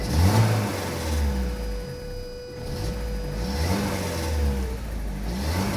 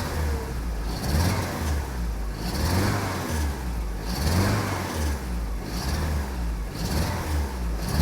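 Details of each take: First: Saab 900 8-valve with K-Jetronic, formerly stuttering from idle onto throttle, after fitting replacement fuel injectors (one old injector believed plugged): the engine fires and revs smoothly with no stutter or hesitation. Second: Saab 900 8-valve with Bosch K-Jetronic, after sitting unused, just reassembled: engine blips from idle stumble and sag before catching about every 1.5 seconds; stutter on tip-in, cylinder closest to the firewall showed low stored injector pressure, injector suspected.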